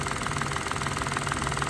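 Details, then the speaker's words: 2014 three-cylinder car, after repair for P0350 misfire: water had likely got in, leaving carbon in the middle coil's connector; now all three coils work. Even, steady idle with a smooth regular pulse, no stumble or missing beat; all cylinders firing. "Coil जो है यह काम कर रही है। पहले इस condition में थी काम नहीं कर रही थी। अभी जो है इसकी सारी कॉइले काम कर रही हैं।"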